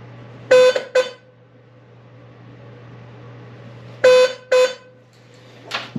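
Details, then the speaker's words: 1982 Fiat 124 Spider outer horn, previously dead, retested after re-crimping its loose ground wire at the grounding pod; two pairs of short clean honks, steady mid pitch, no crackle; that horn now works, left one still to be checked. "that one works so we're going to take this one our left one back out and see what's going on"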